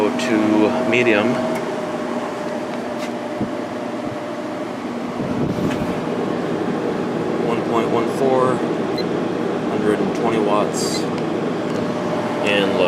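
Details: Sharp window air conditioner fan motor, ball bearings replaced after the originals were shot, running on high speed at 1.53 A and 150 W before compressor start; smooth steady hum and airflow hiss with no bearing rumble or squeal, healthy.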